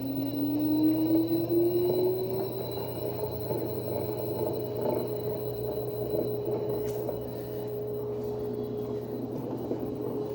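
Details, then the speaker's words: Mabe front-load washing machine after repair of loud spin-cycle noise: drum whirs up to a steady spin, tone rising then holding even, no rumble or grinding; noise gone. "we continue here we already have our washing machine squeezing we see that it doesn't make any noise so scandalous as well"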